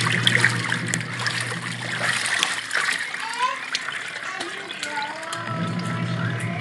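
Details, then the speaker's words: Washing machine that was very noisy and barely spinning, after gearcase pulley repair, tested with water: steady low motor hum under sloshing water, no knocking or grinding; agitates smoothly and washes strongly now. "guys smooth na naman yung ating washing machine yan"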